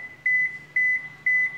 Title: Máy giặt Toshiba E920 báo lỗi Eb